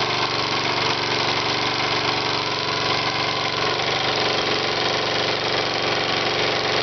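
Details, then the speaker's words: Engine running its second test with a cork piston crown that has a 1/16-inch hole, cylinder scored from running without oil: harsh uneven clatter over a fast buzz as cork chunks hit the cylinder head and blow out the exhaust. "yeah it's uh some of the cork or something's hitting the uh cylinder head I can hear it making a nasty noise there"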